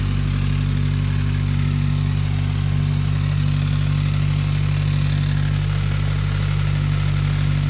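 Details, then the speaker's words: Turbo car being diagnosed for a misfire, idling after the MAF sensor and coil area were cleaned and the PCV hose, loose sump restrictor and coolant lines were fixed: a steady, even low hum with no stumbles. Owner doubts the misfire is solved. Normal idle. "so everything should be good so we're just gonna crank it up and see how everything runs for a few minutes"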